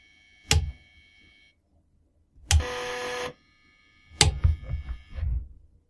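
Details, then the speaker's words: Floppy drive stepper motor driven by a microcontroller with about 1000-microsecond step delay; sharp single clicks, then a short buzzing step tone and quick rattling ticks; sound keeps changing, suspected stepper getting stuck at one end, likely direction logic. "that's interesting sort of worked at the start now it's sounding like that hmm i wonder why it changes sound i think it might have something to do with the uh stepper motor getting stuck at one end or another"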